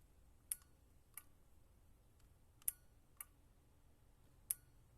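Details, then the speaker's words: 2006 Buell XB12R with a fully charged battery and a fuel pump that primes, which ran the day before and then cranked without starting: with the clutch in and the starter pressed, the front light dims, with single sharp clicks about once a second and no crank. "The front light dims. Nothing happens. Any ideas?"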